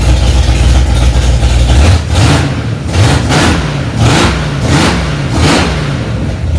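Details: Freshly rebuilt Ford 289 small-block V8 in a 1965 Mustang "Hack Job", first start after months of work, cold engine: strong steady lumpy low idle with a few quick throttle blips, runs evenly; normal fast idle.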